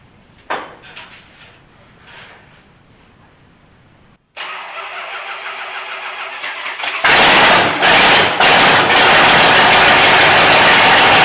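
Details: Rat rod with 440 RV engine after cam install and 20-minute 2,500 rpm break-in: cranks, catches, settles into loud choppy idle with steady lope about two beats a second; normal big-cam idle. Owner suspects low battery from alternator not hooked up right.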